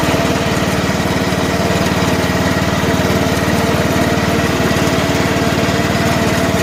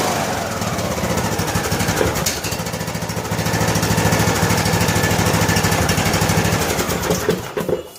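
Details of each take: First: About 2010 John Deere LA105 lawn tractor, 19.5 hp Briggs & Stratton engine, run briefly with no air filter and a little choke, in second gear: even steady beat at fast idle, no misses or knocks; running normally. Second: John Deere LA105 riding mower after oil, air filter and spark plug service, cold start on choke: single-cylinder thumping that swells and sags every second or so; the surging goes away once warm.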